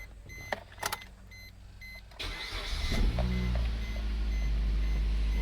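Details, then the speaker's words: Suzuki SX4 first start after head gasket and timing chain replacement: a few clicks, then the starter spins and the engine catches into a steady, deep, even idle; starts and runs cleanly. "I'm hoping I didn't miss anything, but we'll find out shortly. So we're gonna go in, start this thing up."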